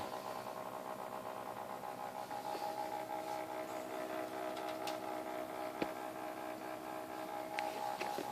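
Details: XSPC X20 750 pump/radiator combo, defective and later replaced under warranty: quiet, wavering high hum with rattly buzzing and sharp ticks instead of a clean steady whir; abnormal pump noise.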